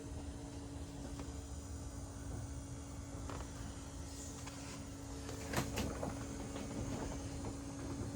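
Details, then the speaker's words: 1977 Lincoln Mark V derby car with 302 from an 1989 Mercury Grand Marquis, on connecting ground before start: faint steady even hum under shop noise, no surging or rattle; fuel pump priming normally, apparently no leaks or flooding. "okay now we can hook this up and you should hear the shield pump there she goes make sure i ain't got no leaky beakies"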